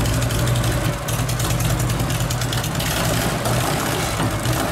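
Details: 1984 Harley-Davidson FLHX shovelhead, original paint, top end resealed, carburetor dialed in; cold-blooded engine warming up at idle: even, loping V-twin idle with steady low thump, no misfires or top-end rattle; healthy warm-up idle.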